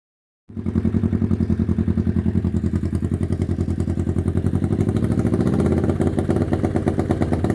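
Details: 1991 Kawasaki EN500 motorcycle that was bogging, chugging and backfiring: uneven, lumpy chugging at a low steady speed with irregular pulses; rough running from a faulty ignition pickup coil upsetting the timing.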